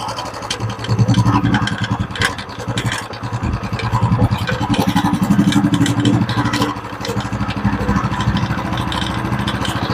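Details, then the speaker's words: Royal Enfield Classic 350 ridden over a rough, potholed road, mic near the front: single-cylinder thump with light khat-khat clunks from the front/handle on bumps, persisting after shocker and external bolts were tightened; attributed to a worn steering head bearing. "तो अभी मैंने आपको चला के दिखाया कि इसके अंदर खट खट की आवाज आ रही है"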